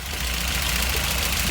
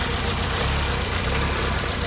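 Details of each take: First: Mk1 VW petrol engine idling with fast, light valve train ticking; intake clearance on cylinder 1 measured 0.16 against a 0.006–0.10 spec, exhaust on the money at 0.016; excessive valve clearance, valves need adjusting. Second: MK1 VW four-cylinder on first start after a valve adjustment and cam swap: smooth, settled idle with a steady beat and no valve tick or clatter. Night-and-day improvement, normal healthy idle.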